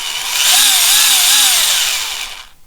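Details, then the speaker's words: Tamiya TT01 E drift RC car, just fitted with two new diffs (front one-way) with grease on the gear: smooth high gear whine rising and wavering on spin-up, quiet coast-down, no grinding or clicking; drivetrain turns freely. "That's both new diffs fitted, and as you can hear, spins really nice, really free."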